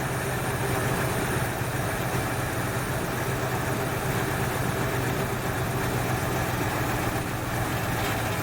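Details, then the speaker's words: 1968 Ford Fairlane carbureted V8 after fixing a carb flooding problem, air cleaner off, idle set slightly high: steady, even idle with smooth low rumble, no stumble or misfire; running much better, carburetor running cleanly. "this is a whole lot better all right i'm just a pad high right about there sounds good"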